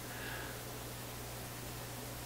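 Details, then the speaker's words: Vacuum tube PA amplifier with 6SJ7 preamp tubes, input connectors shorted to ground: soft even hiss with only a trace of low hum; hum traced to chassis hum currents picked up through input connectors. "But all I need to do is short them right out, short them out to ground, the hum disappears."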